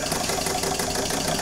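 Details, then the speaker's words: Old small all-steam-powered model engine, not run in about 20 years, fired up in under five minutes: quick even chuffing over constant steam hiss, beat holding steady; normal running. "this isn't really an RC but this is pretty friggin cool it is"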